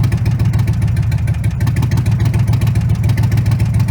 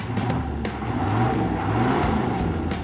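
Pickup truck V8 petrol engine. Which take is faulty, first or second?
first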